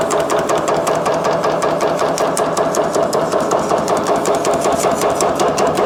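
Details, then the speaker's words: Shrinker running on high speed, set up for shrinking, on a scrap piece of 16 gauge 3003 H14 aluminum; fast, even hammering at about 2.5 strokes per second over a steady motor hum; normal operation. "So I'll go ahead and I'm just gonna turn it on high speed."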